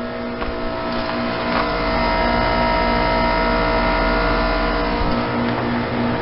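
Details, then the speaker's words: Goodman heat pump running in outdoor temperatures in the teens: steady low compressor drone with constant fan hum, no knocking or rattles; owner wondered if it was defrosting, but the compressor is running normally. "okay the Goodman sounds like it might be defrosting or not listen to that compressor"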